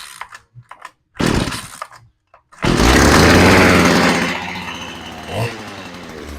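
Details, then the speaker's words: Stihl hedge trimmer came in running rough: two-stroke rasp flares briefly then sags and hunts instead of holding steady; carb needle height was off, then reset and carb readjusted. "I want to admit the needle height ever so slightly. I've reset the needle height now."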